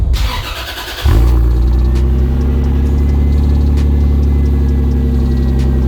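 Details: 2JZ-GTE on an E50 blend (E85 mixed with 93) after sitting three days: it cranks briefly, then settles into a loud, deep idle with an uneven, lumpy beat. It idles rough and misfires, and also misfires and pops under boost and runs rich; cause not yet found.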